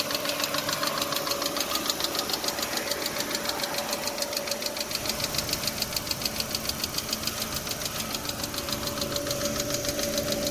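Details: 2006 Chevy Aveo LS at idle: crisp regular ticking about 207 per minute, steady with no load change; engine ticking, source undetermined.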